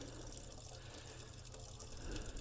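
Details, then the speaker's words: 1978 Boler 1700 trailer, dewinterizing: even steady water flow with low pump hum, no sputter or gurgle; air purged from the water heater, pump stops and restarts with tap, flow normal. "now it's running pretty clear and pretty steady so we appear to have gotten the air out of the water heater"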